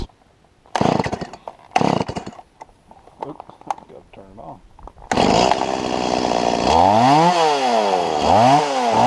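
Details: Stihl MS170 chainsaw after lifting the bent-down carburetor inlet control lever about 2 mm to cure bogging: revs up and drops back smoothly, pitch sweeping cleanly with no stumble or bog under throttle; healthy running.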